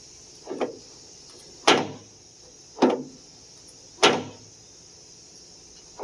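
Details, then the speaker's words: 1991-1995 Acura Legend coupe door: sharp pops roughly once a second as the door swings, each with a brief dry creak. The door check strap is the cause; it must be removed from the door to lubricate. "so that sound is this guy right here don't try to lube it from the outside you've got to remove this from the door"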